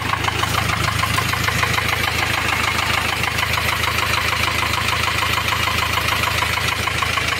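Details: Ford Transit van diesel at idle: sharp, even tapping about three per second in the valvetrain; rocker arm on cylinder one had fallen off, leaving that valve inoperative and slightly damaging the camshaft edge.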